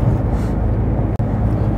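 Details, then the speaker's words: Smart ForTwo 450 test drive after replacing failed anti-roll bar links, lower arm, bushes, springs, rear shocks and exhaust: steady low road rumble, no clunks or knocks from suspension. "yok tıkırtı yok patlama yok ki bu iyi"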